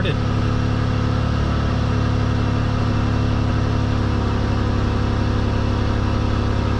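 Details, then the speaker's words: 2010 Dodge Grand Caravan 3.8L after new spark plugs and wires for multiple-cylinder misfires: steady, even idle with no stumble, misfires gone, running smooth. A loud exhaust rasp remains from a hole in the exhaust. "wow rides really nice now yeah much better yeah misfires gone"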